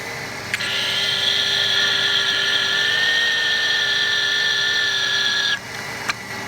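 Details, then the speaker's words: 1993 Chevy Lumina APV engine, heard through a mechanical stethoscope held to the belt-driven accessories before replacing belt and tensioner pulley: steady high whine holding level; owner suspects the loud power steering pump, possibly the tensioner pulley bearing, not confirmed. "As you can hear, there is a little bit of whining going on, and I just think that's my power steering pump."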